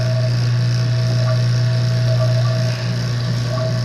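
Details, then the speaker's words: Vacuum pump evacuating a system at 68 degrees and pulling moisture out, seen as a yellow cloud: a steady low motor hum with faint flutter that drones out and smooths as the vacuum deepens, normal operation. "That yellow cloud is moisture. right? So we're gonna pull the moisture out. You can hear the change, how it's starting to drone out, smooth out, right?"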